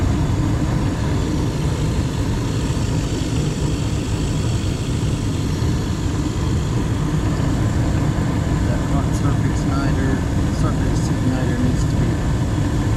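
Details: Gas furnace in a house that had no heat on a cold morning, running after the gas was turned on and the pilot lit, before a carbon monoxide check. Steady, even low roar of burner and blower with no surging, rattles or flutter: normal operation.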